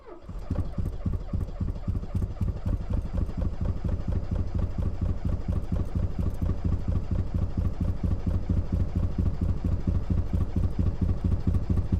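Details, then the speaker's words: Porsche transaxle car with a 2.0 Audi engine that has failed to two cylinders, driven to the workshop at 8 a.m.: lumpy, uneven chugging at about two beats a second with missing pulses. Severe misfire, running on two cylinders. "I am now going to attempt to get my two-cylinder for sure all the way to the workshop I have very low confidence in this very low come on"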